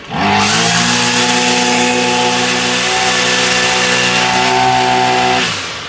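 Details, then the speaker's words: Ryobi two-stroke weed eater that only ran on half choke, after new spark plug and fresh fuel, still warm, choke off: crisp buzz rising cleanly, holding steady high pitch and dropping evenly, no stumble; bad plug and bad gas were the cause. "Now the choke's off and she's running a whole lot better."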